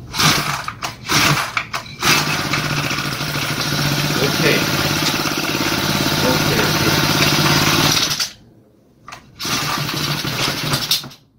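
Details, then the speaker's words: Honda four-stroke brush cutter (grass trimmer) accidentally filled with two-stroke premix (2T oil + gasoline); after refilling with fresh gasoline and priming the bulb, the pull-start cranks, the engine fires, runs rough and uneven, dies and catches again: hard starting; carburetor damage suspected. "Tôi đổ xăng mới vào nên tôi gạt cần cao su để bơm xăng lên. Nó sẽ khởi động tốt."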